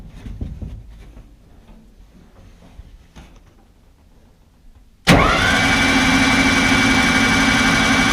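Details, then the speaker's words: Ecotec engine in a Baja Bug on lithium batteries, first run, coil pack off and spark plugs out, cranking to build oil pressure: starter spins it at a steady, even rate with no knocks or grinding. Oil pressure built. Normal cranking. "cranked it over gave it a royal pressure that went fine"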